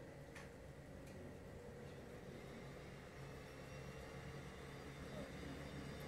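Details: LG portable air conditioner on low fan (F1) with the setpoint lowered toward 18°C, waiting for the compressor to start: a quiet, even airflow hiss with a faint steady hum and no rattles or ticks. This is normal low-speed fan running.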